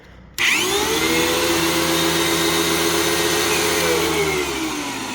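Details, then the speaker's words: Early TTI vacuum switching on to a strained, high steady motor whine, with a noise like a Bissell with bad bearings. Brush roll works but there is almost no suction; the filter is clogged and the cyclone possibly is too. "Rush roll Works kind of um no suction really because it's the filters clogged and the Cyclone could be as well"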